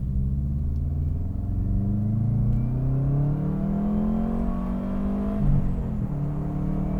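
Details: Subaru Forester XT pulls cleanly under hard acceleration, pitch rising smoothly through a gear change with no stumble. This is a test drive after fixing a misfire with one-step-colder NGK iridium plugs and a cleaned airbox.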